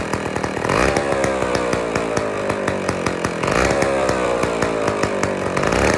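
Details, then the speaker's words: IEL Pioneer HM chainsaw, old two-stroke, first run after fuel-system priming: revs up and drops back in repeated bursts, rough but steady; carburettor still needs fine adjusting. "That's it. We need to do some fine carb adjusting, but we won."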